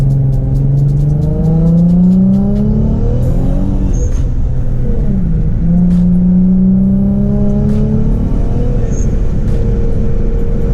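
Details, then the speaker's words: Rear-mount turbo G35 after fitting a new, longer boost coupler to stop pop-offs, on stock wastegate spring pressure: engine pitch climbs smoothly through the gears, hitting about 5 psi with a rising turbo whistle and no pops or hissing leaks; healthy boost. "I was hitting like 5 pounds of boots pretty nice, right where I want it, and that's off stock spring pressure, so I should be Gucci for now. The couplers then pop off and the car sounds amazing, so sounds like a win-win, and sounds like the G is back."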